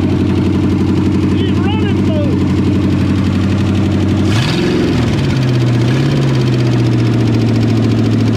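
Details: 1963.5 Ford Galaxie 500 with 390 FE V8, rebuilt carburetor, previously no compression on #1 and blowing off oil filters; engine catches, flares up, then settles into a steady even idle with no knocking or ticking, running healthy.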